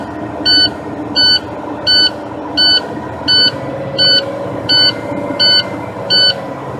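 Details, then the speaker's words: Big rig with air brakes, engine started during a pre-operation air brake inspection after the brakes were pumped down: a high-pitched low-air-pressure warning buzzer pulses evenly at about 85 times a minute over the running diesel and keeps sounding. "Buzzard still buzzing man cut that key off that's driving me a little bit insane"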